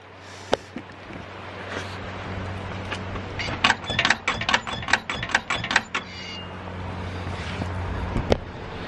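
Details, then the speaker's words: Clunking from the rear suspension of a 2000 BMW E46 323ci coupe as the rear is rocked: quick creaks and clunks about two a second, something loose; cause unconfirmed, wheel to be removed for inspection. "I'm going to show you this noise actually in the rear end. So I'll just set the camera up and then I'll just jump on the back and I'll show you."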